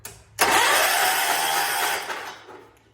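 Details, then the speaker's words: 1979 John Deere 214 garden tractor after sitting months: about two seconds of free fast cranking with no firing stroke; spark confirmed, fuel delivery from the pump suspected. "I feel like it should have started by now so we have us a triigger problem"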